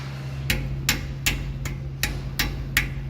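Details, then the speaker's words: Dodge Ram Hemi with JBA long-tube headers, after fixing a header rattle that caused false knock and pulled timing: eight clean raps on the header, each dying quickly with no clangy metallic rattle. "As you can tell and hear, no more of that clangy metallic noise when we shock the header."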